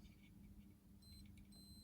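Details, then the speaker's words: Yamaha FC5 keyboard sustain pedal opened, internal switch checked with a continuity tester: faint steady beep while contacts touch, dropping out when they open; switch works properly. "you can hear it's got a connection and as you can hear it breaking connection so if you go to that point and you know that switch is working properly"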